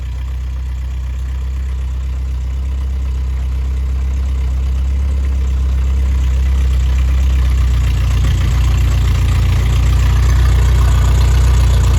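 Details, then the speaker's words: Rebuilt Triumph Spitfire/MG Midget 1500 performance engine, rerun after fire-damage check and new valve springs, oil pressure 60-65 psi warm, electric fuel pump audible; deep smooth even running building slightly in speed, no ticking or knocking, healthy. "Let Jim hear it run and then we'll close out the video. Of course, that noise is the electric fuel pump."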